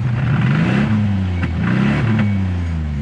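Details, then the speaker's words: 1991 Toyota Pickup V6 climbing a hill on the Mojave Road: uneven stumbling note with dead drops in power, bad misfire from a disconnected spark plug wire. "done stuck here and the trucks needs to be misfiring pretty bad now you can hear it"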